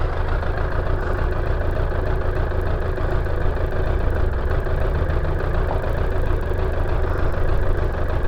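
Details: Suzuki Bandit 600 that struggles to idle once the choke is off and keeps cutting out. The engine is hot and the idle screw is being adjusted toward about 1000 rpm. It now holds a low, even, settled tickover on its own with no dips or hunting.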